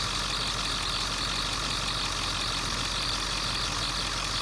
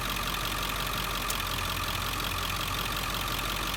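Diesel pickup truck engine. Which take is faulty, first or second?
first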